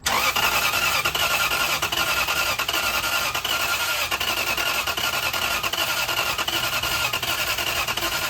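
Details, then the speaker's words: Lexus LS430 after a front main seal oil leak repair, connectors plugged back in after it earlier started and sounded like rod knock. The starter spins steadily with an even whir about once a second, but the engine never catches: cranks but won't start. "Now the car just doesn't start. That's cool. This makes absolutely no sense."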